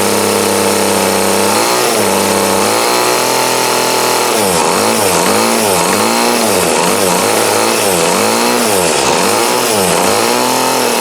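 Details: 2008 Troy Bilt TB20CS 31cc two-stroke trimmer after carb adjustment with the D-size tool, restarted; crisp buzz idles evenly and revs up and down cleanly, thunder audible: running good, still needs slight tweaking.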